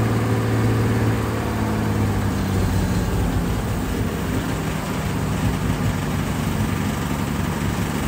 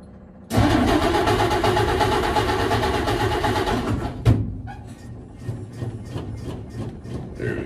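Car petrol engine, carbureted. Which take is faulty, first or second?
second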